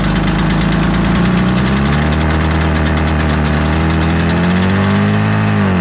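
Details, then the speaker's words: 1983 Polaris Indy Trail 440 two-stroke snowmobile, barn find revival: sputters and labours, pitch sagging and surging instead of a clean idle; owner suspects way too much fuel, possibly chain case oil full of gasoline; unconfirmed. "again sounds like this is running really rich well there's something happening there i don't know what it is"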